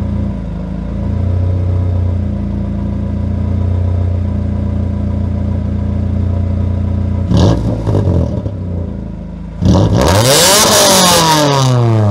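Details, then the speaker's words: 1997 Honda Accord after exhaust leak fix, new gasket fitted and headers rebolted, warmed up: even low idle with no ticking or puffing, then clean rising revs and a smooth drop back; exhaust sounds sealed. "i'll let it warm up and then i'll give you guys a little rev so you guys can hear how it sounds"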